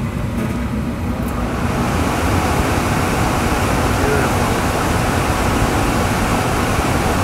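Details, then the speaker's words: Gas furnace after replacing the seized, humming blower motor, mounted straight to avoid wobble: steady, even airflow rush with no wobble, rattle or rubbing; normal, quiet blower operation. "we didn't want to screw up the blow motor the bearings in there with a wobble it all over the place so this should be nice and quiet"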